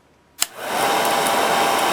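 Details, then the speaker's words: 1946 Victor 40B projector after oiling and freeing the mechanism, running at sound speed with the amp off and the case open: a click, then a steady, even whir with light gear chatter and a faint fixed tone. Somewhat rickety from many gears; normal running. "It sounds rickety like I do when I when I get up out of a chair sometimes. I don't know. It's um a lot of gears and moving parts, so it's not going to be silent, that's for sure."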